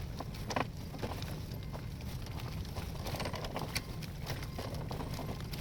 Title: Graco aire 4 xt stroller making clicking noises 2